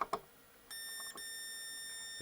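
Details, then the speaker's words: HP 3312A function generator (early 1990s) that suddenly blew its mains fuse: steady unbroken high meter tone as probes touch the supply rail, possibly the positive one, a dead short; owner suspects a failed tantalum capacitor, transformer believed fine. "It's just shortened. So I don't believe all of them. I suspect one of the tantals is shot, as usual."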